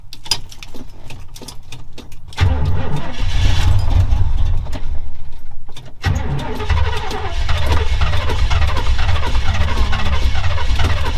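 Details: Old Chevrolet Camaro Z28 cranked with heavy throttle pumping: long uneven starter churning, a pause, then more cranking without catching; engine turns but won't fire.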